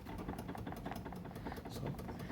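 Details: Fiat Cronos: quick irregular tapping and rattling from inside the door while driving over potholes and bumpy streets. It points to loose window regulator mounting bolts.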